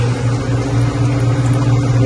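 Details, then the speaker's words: Ice machine after repair with new float switch, compressor just started and getting cold: loud steady low hum, no whine or squeal; much quieter than before, when the pump whined badly; normal running. "Alright, compressor came on. We're getting cold. And it's much quieter."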